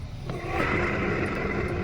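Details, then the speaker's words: Window AC fan motor, removed from the unit and run on the bench, makes a loud, rough whirring roar with a harsh hum; worn fan motor bearings, to be fixed by separating the rotor and replacing the bearings. "तो, window AC की motor इस तरह की आवाज करती है।"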